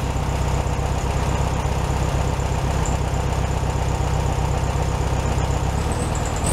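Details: 1967 VW Beetle 1500cc, warmed up after carburetor refitted on a new base gasket: a steady, even low thrum at a slightly fast idle, no misses or stumbles. Normal idle, slightly high.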